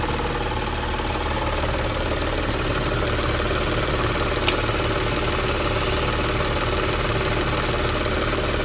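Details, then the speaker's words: Audi A8 D5, steady idle with a sharp regular knock about three beats a second; mechanic first suspected the intake manifold flaps, but a swapped manifold sounded the same, and the pulsing seems to come from the injection pump feed line; source unconfirmed. "Я уже дошёл до того, что я берусь за подающую трубку на ТНВД. И вот звук пульсирующий именно с ТНВД. Как вот пульсирует ТНВД."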